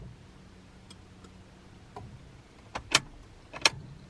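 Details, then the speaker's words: 1997 Honda Prelude BB6 with H22A, cranks but won't start: at key-on a faint low hum then two sharp relay clicks; fuel pump primes and main relay clicks normally, pointing to a spark problem instead. "I'm just gonna go ahead and listen to it to make sure I hear the relay click and the fuel pump turn on here we go Kien I definitely hear the fuel pump"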